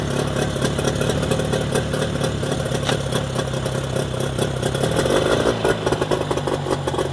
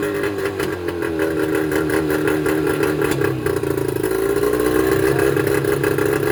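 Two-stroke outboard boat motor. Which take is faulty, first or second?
second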